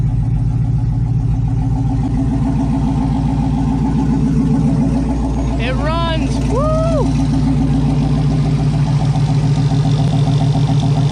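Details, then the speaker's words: Wrecked Chevy Silverado V8 on its first start after purchase settles into a steady, even idle with a smooth low rumble. No misses, knocks or smoke; oil pressure took a second to rise. Healthy idle. "sounds like a solid derby car didn't even smoke noisy pressure took a second to get up but it went on everything's working"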